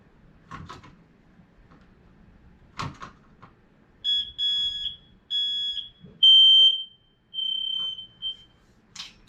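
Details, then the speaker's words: Smoke alarm in parents' bedroom with cathedral ceiling, August system test: a few loud, shrill, piercing beeps in short bursts in a quiet room; alarm works properly. "That was the smoke alarm in your bedroom. It's good."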